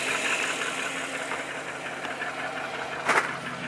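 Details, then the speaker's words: 2013 Chevy Silverado V8 idling after no-start resolved itself: light quick ticking over steady idle, keeping pace with engine speed; top-end tick, cause not pinned down. "in the process of it all i did figure out a couple of my other issues man it's ticking"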